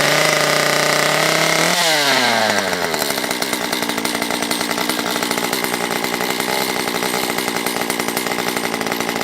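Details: Stihl MS194T chainsaw, previously non-running with fuel issues, carb richened (low full rich, high nearly rich, limiters fitted), warming up: revs from a rough start to an even high buzz, steady firing; normal running.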